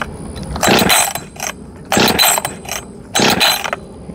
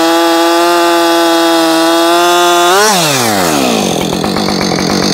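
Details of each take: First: Husqvarna 562XP Mark II chainsaw, first start attempt: three pull-start bursts, turning over without catching; spark plug coil wire not fully seated after compression test, no spark. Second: Husqvarna 562XP Mark II chainsaw, first-ever run, cutting a log at full throttle: high steady scream, pitch drops cleanly as it bites and holds; found its tune very quickly, faster than the Mark 1; normal cutting under load.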